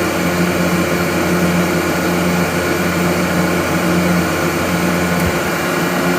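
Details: Gardner Denver EBE99K screw compressor building pressure toward 115 PSI automatic shutdown: loud, steady hum with constant whirring tone, no knocks or surges; running evenly under load.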